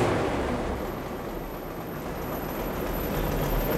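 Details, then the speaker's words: Multi-cylinder engine at a museum, started in neutral, fan and dynamo-driving jack shaft running: quiet, low, even, beautifully smooth idle with no misses, knocks or hunting. "beautifully smooth oh that is marvelous thank you very much"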